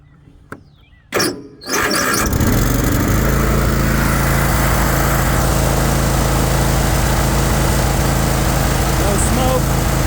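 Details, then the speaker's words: Troy-Bilt Mustang XP 50-inch zero-turn mower, 24 hp Kohler twin, 370 hours, choke fully forward: a couple of cranking clicks, then it catches within a second and settles into a steady, even run with no misses; normal start. "We'll start it up, show you how she operates. Choke on this one is all the way forward like that."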